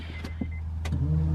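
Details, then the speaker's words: B18C1 turbo Honda CR-V with a newly installed fuel pump, key in on position, turbo and downpipe not connected: a steady low electric hum starts and holds evenly, so the fuel pump is priming normally, just loud. "Oh, that bitch is loud. Oh yeah, it's working."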